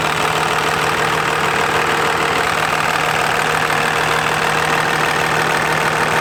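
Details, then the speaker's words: Diesel truck at first startup with a new compound turbo system, not yet driven, new turbine housing paint may smoke lightly: smooth, even clatter with a steady low hum, no uneven beats; normal, healthy idle. "the first startup with the system and so far we're good"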